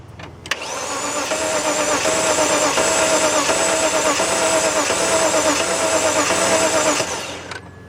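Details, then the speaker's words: 2004 BMW 325i that cranks but won't start: the starter spins fast and light for about six seconds with only a faint pop from one cylinder. It sounds like no compression; the owner plans to pull the coils and plugs to restore compression. "pit sounds like it's got no compression except one cylinder seemed like it was starting trying to pop off."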